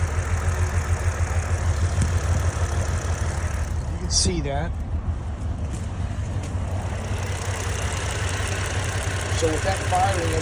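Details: 2009 Saturn Vue 3.6 V6 at idle with hard misfire on cylinder 2 after coil and plug swaps, injector firing; uneven stumbling pulse with dead beat, misfire traced by wet compression test to low compression.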